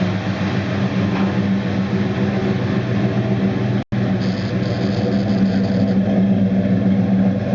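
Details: 1969 Dodge Dart Swinger 340 V8, first start after reinstalling the K-frame, engine and transmission assembly: steady deep even burble with a slight rev midway, nothing knocking or rattling; normal running.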